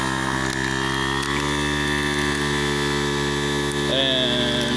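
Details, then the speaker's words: Harbor Freight 12V 150 PSI inflator compressor just switched on via rear rocker switch, filling a flat 31x10.50-15 Jeep Comanche tire; steady buzzing drone with even pumping rhythm: normal running. "so hook everything up then turn it on simple rocker switch in the back"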